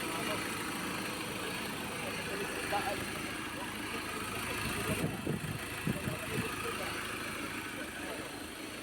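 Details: 2015 Ford Ranger 2.2 diesel after crankshaft position sensor replacement, no trouble codes: engine starts in one click and settles into a steady, even idle with no misses, knocks or stumbles; running normally.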